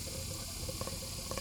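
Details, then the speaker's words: 2004 Evinrude 200 direct injection outboard on a hose flush, after clearing black debris from a blocked cooling passage: soft hiss with irregular wet bubbling pops as trapped air gurgles out before water flows. "We got it hooked to the flush on it, and you'll maybe be able to hear it gurgling air,"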